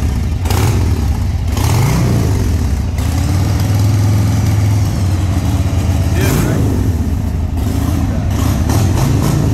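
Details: Restored 1995 Harley-Davidson Sportster 1200 after a full service with new tires and suspension: deep, even V-twin thump at steady idle, two clean throttle blips pull up and settle back smoothly; sounds healthy.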